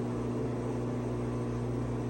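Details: LG washer with a loud-noise complaint, drain and spin test starting at about 50 rpm: steady low hum with constant tone and no knocking; tub itself sounds fine. Cause of the reported noise not pinned down.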